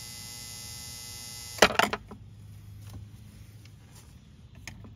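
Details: Volvo Penta SX-A power trim/tilt pump motor, bench-run after smoke cleared; motor not hot. Steady buzzing hum about a second and a half, then a clunk as it stops and reverses direction; motor runs freely.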